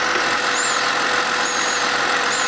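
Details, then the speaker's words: 2008 BMW E60 528i 3.0 NA petrol, 170,478 km, stalling while driving, check engine light, white smoke, oil consumption: steady idle with airy hiss and faint high whistle; excessive crankcase vacuum suspected, not confirmed. "엔진 내부에 진공이 좀 많은 걸로 확인이 돼요 소리 들리시죠 어느 정도의 진공은 형성이 되는데 좀 진공이 좀 많은 편이에요"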